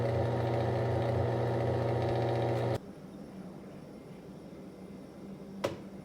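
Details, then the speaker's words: MVWC465HW2 top-load washer agitating during a test, top panel off and no water hooked up: steady, even motor hum with a smooth agitating pulse and no grinding, then it stops. Normal agitation. The washer's complaint was a shrieking noise during pauses; a splutch drive kit was fitted. "as you can see here it is agitating which is fantastic"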